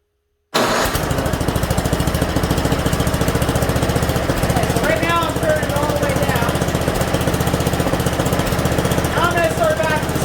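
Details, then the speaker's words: Mastercraft 10.5 hp 30-inch snowblower single-cylinder engine after carburetor clean and rebuild: fast busy even firing holding steady; idling a little high before the idle screw is turned left to lower it. "right now uh it's idling a little bit high when it's you know so i'm gonna start it up i'm gonna show you guys what i'm talking about here"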